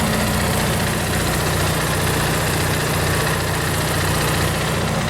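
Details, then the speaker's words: Steady low generator idle with no surging, knocking or hunting; the generator runs the dad's old RV and powers the Xplorer van via extension cord while its new deep-cycle battery, AC and fridge are tested; normal idle. "it goes over here into my dad's RV which is running this generator over here"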